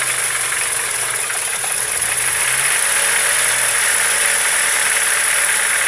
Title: Стук в двигателе